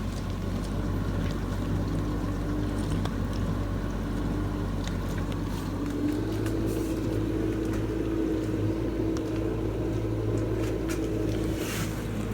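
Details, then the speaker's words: Samsung DW80R5060US dishwasher in diagnostic mode, wash cycle: steady low hum with faint wavering tone over water swish, pump a little noisy but no knocks; spray arms and wash pump running normally. "you can hear how quiet the spray was including you can hear the water spraying through including spray arms or spraying"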